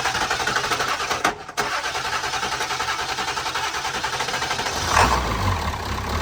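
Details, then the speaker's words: 1991 Ford F-350 after a 7.3 Powerstroke diesel swap, fuel filter pre-filled: the starter churns at a steady quick rhythm for several seconds but the engine never catches. It cranks without firing; suspected not getting fuel. "crank it I don't think he's getting fuel can I just crank it"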